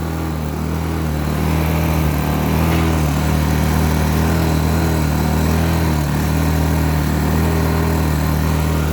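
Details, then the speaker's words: Cheap 800 W Blackridge inverter generator with a fuel problem, running on fuel thought to be fresh with a little 2-stroke oil, buzzing unevenly and surging up and down (hunting); injector cleaner planned. "you can hear, it's surging and carrying on."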